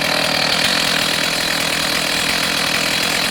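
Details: Stihl MS290 chainsaw with 18-inch bar and chain, clean, started from idle mode, screaming steady high-pitched buzz held flat at full throttle with no stumbling or surging; healthy normal running at high revs.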